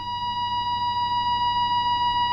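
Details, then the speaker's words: Astor APK valve radio during restoration and alignment: clean, steady test tone from speaker with little hum, signal passing through the IF transformers stage. "there's the if transformers and we should have a signal if i turn the volume up"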